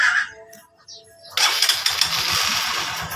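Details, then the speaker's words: Honda TMX Supremo motorcycle: engine catches, stumbles on uneven low pops and dies when revved, a misfire; spark plug found with excessive gap. "Ayan birit natin Ayan oh namamatay start tuloy natin try nating i- Ayan"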